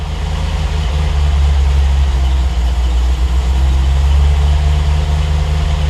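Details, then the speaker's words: Triumph TR8 V8 on Megasquirt 3 Pro, cold start idle after IAC move and warm-up/after-start enrichment changes, around 12.5:1 AFR: deep steady idle swelling and sagging slowly; tuner suspects slightly lean, adds fuel. Idle surge. "Kind of surging a bit, probably. It's a little bit lean here. Let's go and give it a bit more fuel."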